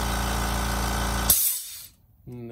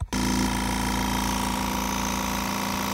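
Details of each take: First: Kobalt Quiet Tech 4.3-gallon air compressor, about two to three years old, after check valve repair (it had blown air out after cutoff): steady even motor hum with clean pump drone, brief cutoff, then smooth restart; running normally. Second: Kobalt Quiet Tech 4.3-gallon air compressor, a few years old: motor drones steadily, then at cut-off a loud hiss of air floods out; owner's research points to the check valve stuck open; he plans to remove and fix it.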